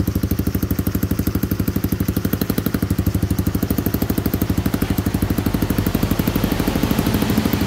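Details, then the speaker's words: Rebuilt Honda Cub-type small single-cylinder motorbike engine, rope started, exhaust just pressed on and not yet bolted; quick even exhaust pulse about three beats a second, no knocks or rattles, runs smoothly. "Nó rất là đơn giản để xe này khởi động một con xe lổ nó quá là đơn giản đối với mình đấy máy cực êm cực chất luôn anh em nha"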